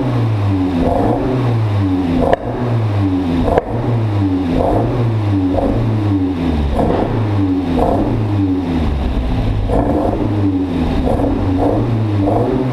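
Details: Mk1 Fiesta XR2 freshly converted to Jenvey throttle body and Omex 600 EFI, just fuelled and started: revs surge and sag with a ragged stumbling note instead of clean pickup. Still not running right; new spark plugs to be tried, cause unconfirmed.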